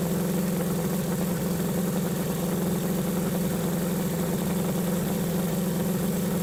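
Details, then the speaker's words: 1976 BMW 2002 (E10) M10 engine idling about 700–800 rpm after fitting a new Weber-style carburetor and swapping in a newer coil: steady, even, smooth low hum with no misses, much smoother than with the old carb; normal idle. "Well, it idles an awful lot smoother than the other one. This end here is pretty quiet."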